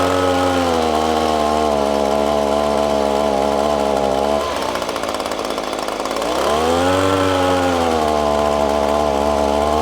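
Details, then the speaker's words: ECHO PB 250LN handheld gas blower: steady buzzing run, then on throttle the pitch sags and turns ragged for about two seconds before recovering; bogs down and loses power when throttled up. "okay as you could tell by that video clip as soon as you hit the throttle on this bad boy she starts losing power"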